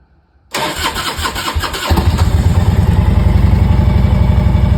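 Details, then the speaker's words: 2001 Harley-Davidson Road King Classic, 97,808 miles, cold start after sitting four months on a battery tender. Silence, a half-second crank, then it catches into an even, loping idle: a normal start. "we need to warm up a minute [Music] so it's the first time finished starting in four months"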